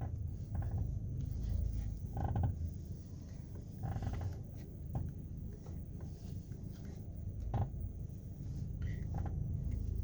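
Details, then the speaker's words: 2018 Chevrolet Onix Joy electric steering box, already replaced once: sharp, uneven clicks, about five in ten seconds, over a low hum as the wheel turns; cause unknown. "E aí tá vendo fica só fazendo esse Estalo"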